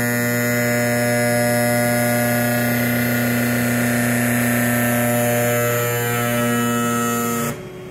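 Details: Sparx sharpener running: loud steady buzzing hum with a rough, rattly edge, holding even for seconds then cutting off; the motor sounds noisier than it should.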